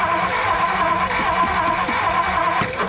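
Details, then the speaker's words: 1957 Ford Fairlane 500 sat 30+ years, new ballast resistor fitted, fuel pump and battery working: starter churns slowly about two turns a second but engine doesn't catch, no fire yet; started on a later attempt. "you think we're getting fire hopefully well just cause it's turning over don't mean it's getting fire hold on nope"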